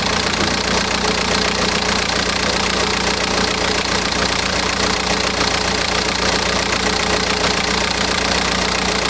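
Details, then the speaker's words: BMW M Sport Tourer, N47 2-litre diesel with timing chain at the back of the engine, idling after water pump and EGR cooler work: harsh metallic rattle about four a second from the back of the engine; worn timing chain, water pump didn't cure it. "There is a horrible rattle from the back of the engine. And this is the rather infamous N47 2-litre diesel, which has the timing chain on the back of the engine."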